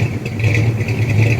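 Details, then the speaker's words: Rebuilt 1979 Ford F150 V8 at normal idle, oil pressure steady: deep, loud idle with heavy uneven lopey pulse, truck rocked every time the cam hits; lumpy rough idle, cause not confirmed. "That's how much the truck is being rocked every time that cam hits."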